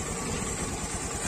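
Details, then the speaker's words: Honda Beat FI scooter, idle air screw at 1.5 turns: small engine ticking over at a fast but steady idle with no stumble or misfire; idle now holds. "Coba, nah ini, nah udah turun, ya udah turun tapi masih langsam. Ya kan? Masih langsam."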